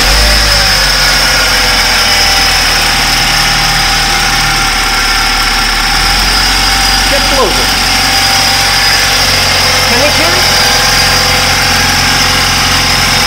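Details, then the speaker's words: BMW F10 528i gasoline engine at idle, after a replacement DME failed to cure it: a loud, hard ticking clatter like a diesel. A mechanical problem is suspected but the exact cause is unknown. "if you did hear this that this engine runs like a diesel engine this is gasoline vehicle but it runs like a diesel which tells me that this is definitely a mechanical problem"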